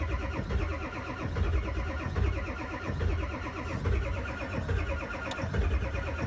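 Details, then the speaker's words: Ford 7.3 diesel cold start at about 32°F: a slow, rhythmic cranking chug for a long stretch without catching, to build oil pressure before glow plugs are rerun, after which it fires; extended cranking on cold start. "okay I don't like cranking that long one more time it'll fire up now it's got oil pressure and we got some hot glow plugs"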